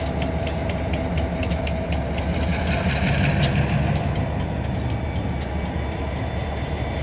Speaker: Ticking sound is from blowing moisture out of the airlines. Prevents damage from moisture.